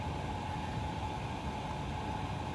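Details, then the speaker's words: Chinese diesel heater in a hard case just after switching off, glow plug back on and fan speeding up to burn residue from the chamber for a couple of minutes: even airy rush with faint whir; normal shutdown burn-off cycle. "so it's burn chamber is heating right up so it can burn off any residue that's sitting around this doesn't take very long this only takes a couple of minutes"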